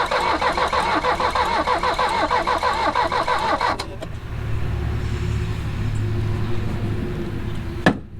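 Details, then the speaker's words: Mercedes 240D OM616 diesel that sat 10–15 years with sludge fuel. Steady starter chug about three per second for nearly four seconds, then it stops without catching. Smoke and something spraying are seen afterward; it cranks but won't start. "Well, that wasn't what we wanted. Take 300. Ooh, we got some smoke and something spraying out here, so let's try again here in a minute."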